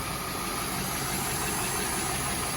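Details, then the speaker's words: 1998 Oldsmobile Aurora V8, sitting since 2016 and just revived, idles steadily with a quick, raspy puffing under the hum from an exhaust leak. "Just that exhaust leak right there."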